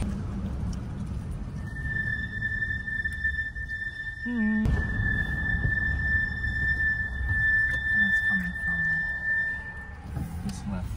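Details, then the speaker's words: 2009 Toyota Tacoma on a road test: a steady high-pitched squeal from the left front brake, caused by a missing caliper bolt that lets the caliper or pad rub. The pads were recent; to be fixed by installing the bolt. "We just have a missing bolt that's rubbing on the caliber or rubbing on the brake pad the wrong way and it's causing a noise"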